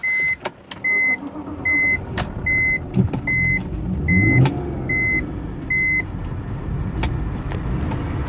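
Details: 2004 BMW 325i after restoring compression, restarted: engine settles into steady idle under a chime beeping about once a second, running evenly while burning off oil with heavy exhaust smoke.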